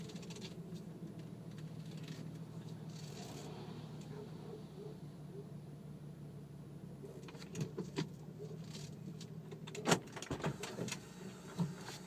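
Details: Infiniti G37X sedan with BC Racing coilovers, clanking since installation: quiet cabin drive then sharp clanks over rough patches; loose coilover component suspected, unconfirmed.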